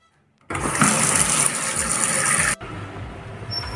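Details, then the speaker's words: Vaillant MAG mini 11 open-chamber, battery-ignition gas water heater: the hot tap opens with a rush of water, then the burner catches with a soft whoosh and settles into a steady flame roar. This is the normal ignition, shown for comparison. "Questo è quello che avverrebbe normalmente apriamo l'acqua calda e lo scaldino si accende cioè accende la fiamma"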